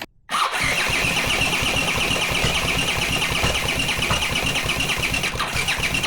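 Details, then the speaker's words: Honda CX500 engine on bench test stand, no exhaust or cooling; steady starter cranking with even compression pulses and whirring whine, never catching, fuel coming out of cylinders despite spark; no ignition traced to swapped ignition coil leads. "So, I was covering the hole of the carburetor to see if it actually sucks up fuel, but you could clearly see the fuel coming out of these cylinders. So, for some reason, there's no ignition."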